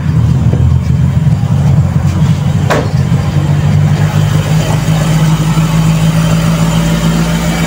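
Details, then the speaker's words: Toyota 2E engine, cold start with auto choke and cold-start idle-up reworked: fast high steady idle around 1,600-1,700 rpm, above the 1,000-1,200 target, so the fast-idle setting needs turning down. "Ayan. So, 1.6, 1.7 ang RPM. Bawas tayo mga kapatid."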